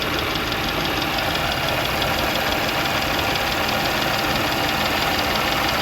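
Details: Audi B8 S4 idling: steady knock or tick about twice a second over busy mechanical clatter; timing chain issue or rod knock suspected, cause undetermined.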